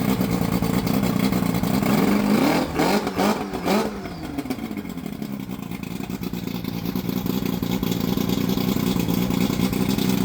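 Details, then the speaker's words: Johnson Evinrude 115hp 60° V4 two-stroke outboard that ran badly, after powerpack replacement and carburetor cleaning: it revs up cleanly for about two seconds, then settles to an even idle with no misses. Running good now; exact cause uncertain (clog, misplaced part or intake seal suspected). "Could a good oldfashioned carb job fixed it? Maybe something was out of place. Maybe something was clogged. Maybe the seal on the back of the intakes was off. Honestly, can't exactly pinpoint it, but uh she's running good now."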